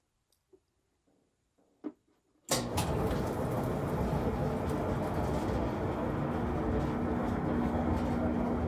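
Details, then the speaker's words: Kenmore (Whirlpool) dryer after replacing the idler pulley, tensioner and belt from a repair kit: steady, even tumbling rumble with no squeal or thump. Normal dryer operation, much better than before. "it's a whole lot better than it was"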